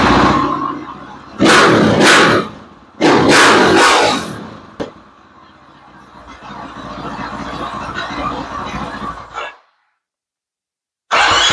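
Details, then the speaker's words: KTM 500 revved with silencer insert removed, after new chain and sprockets: two sharp, harsh throttle blips then a raspy idle, far louder and crisper than normal; basically an open exhaust, pretty loud. "You'll get to hear how loud it is now with nothing in it. It's basically just an open exhaust."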